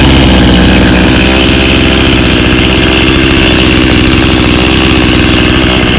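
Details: 1991 Stihl 018C chainsaw started on half choke for the season. A loud, buzzy two-stroke beat holds steady and picks up cleanly when revved; it starts and runs healthy.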